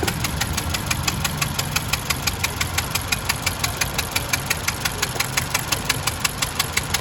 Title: Honda civic Ns engine sound problem